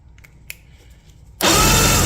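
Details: Johnson GT 200 outboard after starter and power pack replacement: a few quiet taps, then a loud, steady whirring churn as the new starter spins the engine strongly without stalling; normal cranking, spark on all cylinders.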